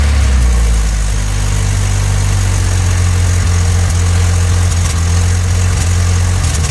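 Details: 1986 Ford Ranger 2.3L: deep, loping idle with uneven beat that stumbles every so often; rough idle with misfire. Owner has had ongoing misfires despite changing many parts, later thinks it's barely misfiring; cause not pinned down.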